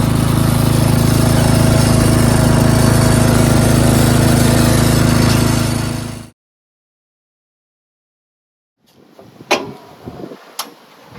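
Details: Craftsman 13.5HP 30-inch rear-engine riding mower, deck engaged: steady, even single-cylinder drone holding speed for six seconds before shutdown. Runs healthy while mowing.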